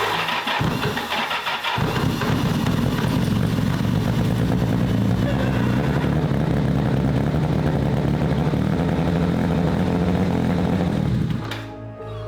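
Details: Kawasaki GPZ750 Turbo, sat unused for many years: cranks briefly, catches near two seconds, settles into somewhat uneven but steady idle; bike now runs.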